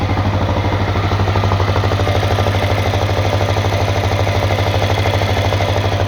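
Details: CRF250L at a steady idle: a regular light knock about twice a second over the thump; engine knock, cause unclear.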